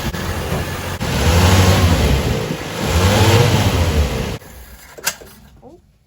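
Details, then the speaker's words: Old Toyota Corolla petrol engine, previously rough and shaky, now runs evenly and takes two clean rev blips, possibly after fuel that had flooded the plug was burned off so it could spark, and the rough idle is fixed. "maybe i just needed to burn the fuel off so the spark plug could spark the car seems to be running fine now"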